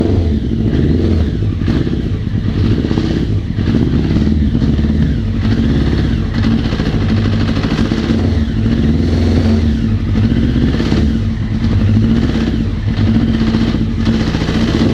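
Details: 1999 Honda CBR900RR Fireblade inline-four running and revving with a rough, clattery knock, along with power loss and extreme stator and rectifier heat despite all-new electronics. Cause suspected, not confirmed.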